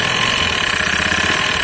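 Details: Honda Beat FI eSP scooter at idle: coarse pulsing rumble under a hissy whir, rear vibration, heavy sluggish initial pull, noise louder and shrill when revved; worn CVT rollers and front pulley roller housing.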